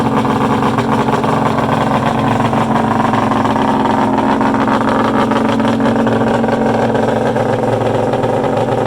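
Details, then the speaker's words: Polaris 800 Storm mega-mod two-stroke triple with a water bypass, start-up outdoors: it runs fast and loud with a steady buzz and a few sharp exhaust pops. It backfires on start, and the throttle cable is catching the built-in kill switch and needs adjusting. "pretty exciting huh god that was awesome a couple little backfires there"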